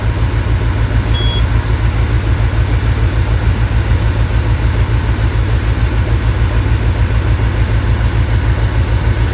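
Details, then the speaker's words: Peugeot 807, check engine on: uneven lumpy idle under low drone; scanner shows cylinder 1 misfire, injector or spark plug, most likely dead injector. "Nah, ini yang bikin bincang Missfire on more silinder silinder satu fuel injection. Nah, ini ada kemungkinan ini antara dua kemungkinan antara injektor atau busi mati tapi kemungkinan yang terbesar sih injektornya mati."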